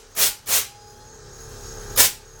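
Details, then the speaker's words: 1998 Blazer with newly wired front air bag valves and switch box: three sharp bursts of escaping air hiss; front lowered when it should hold, owner suspects a leak somewhere or a valve installed backwards. "Well, you see me let that air out. Shouldn't have did that. Should have stayed up. That means we got a leak back here somewhere."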